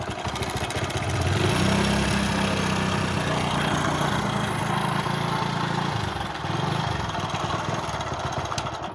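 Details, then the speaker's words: Hero HF Deluxe motorcycle idling with a busy, uneven metallic rattle of about four per second; tappets checked fine, and the timing chain is badly stretched and very loose despite a stronger tensioner spring. "Tappet और बाकी सब कुछ बिल्कुल ठीक है, लेकिन timing chain बहुत शोर कर रही है।"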